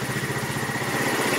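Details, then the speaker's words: GY6 150cc scooter just fitted with a new replacement carburetor: quick, even, steady idle; sounds settled and healthy. "oh yes i want to stay and running holy cow sounds really good"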